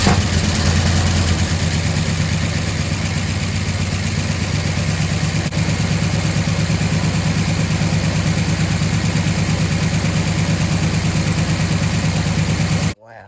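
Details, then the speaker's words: Abandoned 1977 Chevy Silverado, fire-damaged and parked 4–5 years, running from a gas can line while the old tank fuel is pumped out. Steady even V8 idle, smooth low rumble, no misses or knocks; fired right up. "Can't beat that. Fired right up. Looked like it was pumping fuel pretty good into here."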